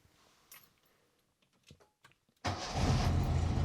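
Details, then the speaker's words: 1985 Lancia A112 Abarth, 1050 cc Fiat engine, after replacing a badly worn distributor cap and rotor; a few quiet clicks, then it fires at once and holds a steady, even idle without misses. "oh yeah no problems everything is good so that was just a small service video on the a100 and 112 a bar i'm still surprised that it even ran with those old worn out ignition parts"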